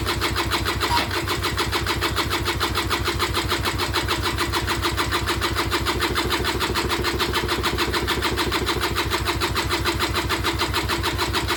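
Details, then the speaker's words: Peugeot Speedfight 2 100cc two-stroke scooter with Leo Vinci exhaust, bought unseen at auction, first start attempt: starter cranks in a steady slow rhythm with no firing; spark confirmed, carburettor filling slowly, cause not yet found; cranks but no start. "Nothing. So I know I've got spark, I did check that."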